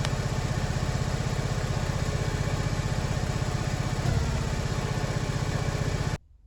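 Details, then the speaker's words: Porsche 944 after cambelt change and ancillary refit, idling with alternator connected: lumpy uneven beat stumbling several times a second like a misfire with a pop back; still misfires with alternator disconnected; owner suspects leaking injector-rail seal. "Something's definitely a miss there. Sounds like a pop back."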